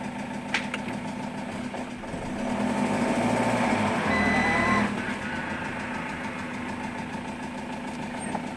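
Diesel idling with a steady, fairly regular knock, roughly four per second over the clatter; a knocking fault at idle, cause unknown.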